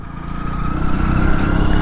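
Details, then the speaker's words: Bajaj Boxer 150 motorcycle while riding: a thin steady whistle over the engine at various revs, rising slightly with revs and more pronounced than it should be. Source not yet found. "Блін як їдеш з якимсь як тим нагнетателем во посвистоє трошки цікава якась движуха з двигуном тут"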